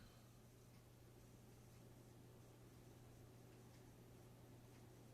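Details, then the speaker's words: Linux PC in Fractal Node 804 case with AMD A10-7850K and Corsair H105 AIO cooler, fan controller at lowest setting, at power-on: very faint steady low hum with soft airflow hiss, no ticking or rattle; normal quiet fan operation. "System is powered on. Extremely quiet. Fan controllers"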